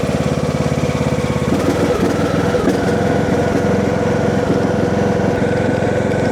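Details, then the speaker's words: John Deere D110 mower, new air filter, before coil replacement, choked, gas smells a little funky: steady, even putter, no misses or stumbles, idle fine; normal running. "seems to run pretty good. Gas smells a little funky. It might be old gas. Idle's fine. Sounds good."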